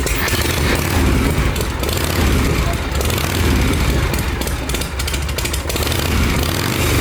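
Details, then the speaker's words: Harley Shovelhead V-twin running with the exhaust baffle removed, after the intake leak was fixed by tightening the bands. A loud, open, lumpy lope with a raw bark that is healthy and even, though the rider calls it quieter. "Wild how much quieter it is."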